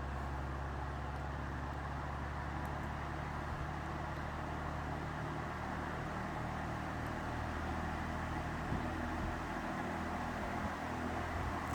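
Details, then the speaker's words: 1954 Emerson 24-inch K60-TB pedestal fan after cleaning, a new cord and toggle switch, and bearings re-greased with temporary non-proper grease. Steady, smoother hum; bearings still faintly audible, likely needing replacement; loose back guard rattles: normal running. "but much smoother you can still hear the bearings just a little bit"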